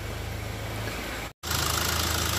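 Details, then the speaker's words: 2015 Ford Ka 1.5 Sigma after a timing belt job; uneven lumpy idle that keeps varying, with a wavering beat and hiss on top; scanner shows MAP somewhat high and ignition advance near zero; oscilloscope confirms cam timing out of sync. "esse carro ele não tem uma marcha lenta estável fica variando e acaba interferindo aí no diagnóstico"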